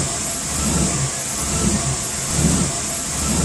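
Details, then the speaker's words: Chevrolet Blazer truck idle surging and sagging roughly once a second with uneven loping from a vacuum leak; plugging the brake booster vacuum hose with a socket made it idle perfectly, so the brake booster needed replacing. "and now this is what the idle sounds like with the hole plugged so you can see there right when i plugged up the vacuum hose for the brake booster it idled perfectly so i knew that was the cause of the vacuum leak"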